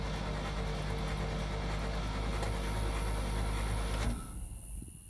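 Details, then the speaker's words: 1968 International C1100 pickup, unstarted for about 36 years, cranking with all spark plugs out: a steady, fast churning crank with no compression pulses, turning over freely and smoothly; cranks fine. "now obviously i don't have any compression because all the spark plugs are out but he's cranking good"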